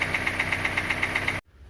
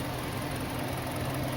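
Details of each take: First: Kia Sportage 2.0 with G4KD engine, 160,000 mileage, before repair: sharp, even knocking about eight times a second over a steady idle, hard tapping from low in the block; piston slap, a known weakness of this engine. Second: Kia Sportage 2.0 G4KD engine after repair of piston knock, first start: steady, even idle with a soft smooth whir and no knocking. Piston knock gone.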